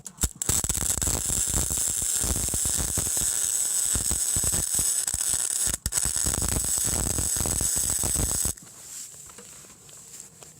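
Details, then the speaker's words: Eastwood MIG 135 welding with 0.030 flux core wire, no gas, on a higher setting; steady even crackling sizzle about eight seconds without heavy popping, less spatter than a Harbor Freight 90 A flux welder; smooth consistent arc. "I mean, that just looks a lot nicer to me. There's less splatter, which again could be down to the wire."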